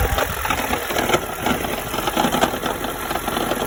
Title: toyota auris 1.8 hybrid strange noise